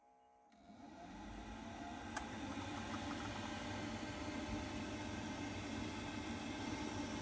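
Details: Boiler on a no heating, no hot water call, switched on after reassembly: steady rushing fan note builds and settles into an even roar, no rattles or bearing growl; fan running fine.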